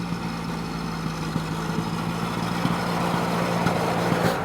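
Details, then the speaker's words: 1930 Ford Model A pickup, off the road since 1986, with a filthy fuel tank and a narrow, easily plugged fuel valve: a low idle with uneven stumbles and pops, sputtering, probably as fuel only trickles into the bowl. "Good luck getting up a hill with the engine sputtering like that."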